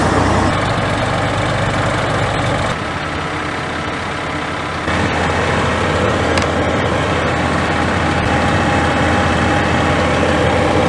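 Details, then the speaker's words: Scania G410 with a 13-litre OC13 methane engine at about 400,000 km, after a rebuild following overheating without antifreeze that cracked the heads: a steady, quiet, even low idle rumble with no knocks; normal idle. "Слушай, она так тихо работает? Тихо так работает?"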